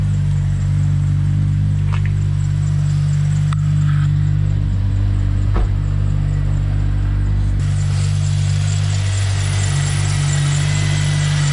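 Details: Rotrex-supercharged Toyota Celica, just started after sitting a few weeks: smooth, settled idle with a deep constant hum, slight belt noise from sitting, no knocks or misses; engine healthy.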